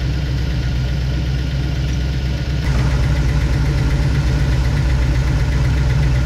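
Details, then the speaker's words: Rat rod tow truck V8 after swapping aluminium rockers for stainless ones, valve cover off: idle with a steady tick about four per second over the rumble from a loose, misadjusted rocker needing lash set. "feels like this uh rocker right here has got some issues why wouldn't it have issues right"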